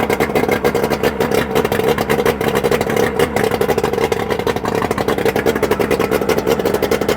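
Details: Johnson/Evinrude 130 Looper outboard, first start after rebuild with new pistons: rapid crackly two-stroke firing, fairly even with a constant buzzy note at steady speed; normal running.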